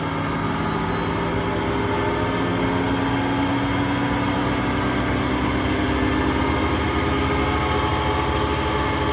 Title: Hotpoint Aquarius WMA58 washing machine || Bad bearings at 1400 rpm